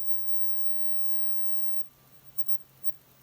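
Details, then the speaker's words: Must PW1800 inverter after transistor repair, idling warmed up on a 13 V battery: only a quiet, low, even hum, and the whistle heard earlier has smoothly disappeared; normal inverter idle with no whine. "пропав цікаво куда ж подівся свист швидко і плавно зник"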